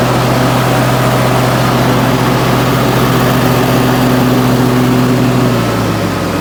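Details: Wright Stander X stand-on mower, just finished restoration/revival and rewired with a substitute ignition switch, started up outdoors: steady, even engine drone with low hum, no knocks or misses; normal running.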